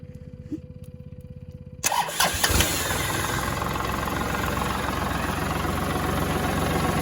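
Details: Kubota tractor diesel started by jumping a weak switch with a wire in a no-start fault: quiet clicking, then it fires within a second and settles into an even, strong idle; normal start.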